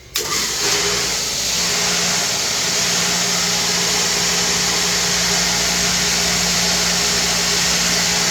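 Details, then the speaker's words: Replacement 5 hp waterfall pump motor on its diffuser, first start with correct rotation: kicks on and settles at once into a steady, even hum under rushing water, no surging; drawing 11 A of a 13 A rating instead of 60 A, voltage no longer dropping, running normally. "Our system is rated for a maximum of 13 amps. We're running at 11. Our voltage is no longer dropping below our threshold. Our fountain is working."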